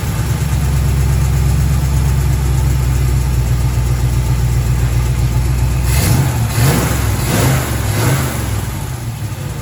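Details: 1936 Chevy coupe, 350 small-block V8, HEI distributor, pre-warmed, idle adjusted: steady even low burble, smooth unhurried beat, brief blip near end; clean healthy idle.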